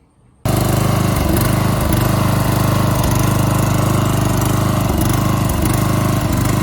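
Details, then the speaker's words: 1980s Deutz-Allis lawn tractor, inherited, revived with carb cleaner and long cranking, carburetor still needing adjustment: small single-cylinder engine catches and settles into a steady, even chug with slight hunting; runs pretty good. "okay guys you can see we got it running it's pretty easy just had to put some carb cleaner in it uh crank it over a bunch so it really no big deal to get it running so he was right it it ran pretty good"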